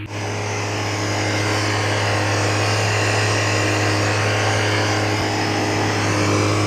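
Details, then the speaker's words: Chaser on first start just after a camshaft swap and turbo install: steady, even idle with a smooth low drone and a faint turbo whistle, no knocks or misses; normal idle, shortly before smoke and a dripping hose appeared. "Oh, no. It's here. It's the idle. Okay. It looks good."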